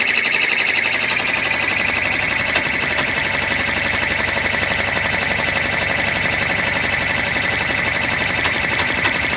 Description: My Baby Lock 10-Needle is making a strange noise.